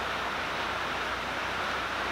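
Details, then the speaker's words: New Hougen HMD905SK mag drill running: steady motor rush with constant thin high squeal; owner suspects unlubricated brass collar. "you turn it on it makes a squeak it doesn't say anything about that"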